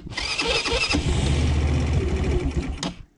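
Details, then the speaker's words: Quad after many hours of rebuild work: cranks about three seconds, fires raggedly and dies; hard starting, automatic choke works poorly, needs several attempts; cause unconfirmed. "alors je sais que le démarrage est laborieux un petit peu"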